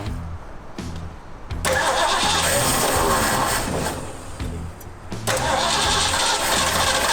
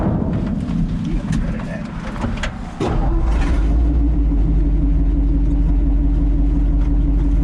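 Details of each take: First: Old Ford Bronco, dusty, first start after fueling: catches and settles into steady even running, no knocks, ticks or exhaust leaks heard; normal running. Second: Old three-on-the-tree vehicle on its first slow test drive: a loud, deep, raspy blat that stays heavy as it pulls, from an exhaust leak through a couple of holes in the muffler, one of them big.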